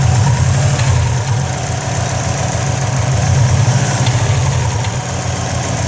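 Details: 2004 Subaru WRX at idle: loose, uneven rattle about four times a second from the turbo side, where faint smoke also appears; cause unknown.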